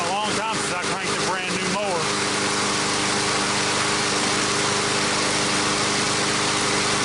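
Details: Cold start of a brand-new MTD mower's Briggs & Stratton engine after freeing a stiff valve stem (assembly lube): after some music, a steady, even high-pitched idle settles in with no misfire or clatter; it runs fine.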